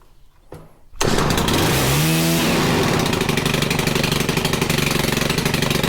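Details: Stihl FC110 after switch replacement and valve adjustment, previously near-zero compression, oil and brake cleaner in cylinder: pull start catches at once, strong steady high-speed buzz at full throttle, no misses; compression much better, runs healthy.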